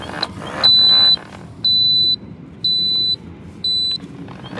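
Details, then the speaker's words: Gate opener on the combined D5 sliding and Vantage swing setup gives four evenly spaced high beeps, about one per second, signalling gate stalled because the manual release isn't engaged. "stored yep gate stalled which means our manual release isn't engaged"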